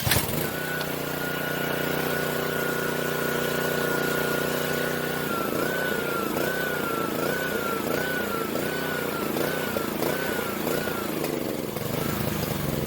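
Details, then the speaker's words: Pressure washer with Honda GCV190 engine, very few hours, sat about four years; after fresh fuel, running a tank through and cleaning the carburetor it settles into a steady, even run with faint wavering pitch; normal running, nothing abnormal. "it is good pressure washer no problem really no need do anything complex"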